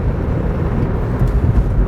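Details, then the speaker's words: 2003 Nissan Sentra SE road test after front calipers, brake hoses and pads: steady low road rumble with no hum or growl from the front; wheel bearing quiet, steering tight. "it feels awesome I mean the ball joint the wheel bearing no more noise up there the steering is nice and tight it doesn't feel loose"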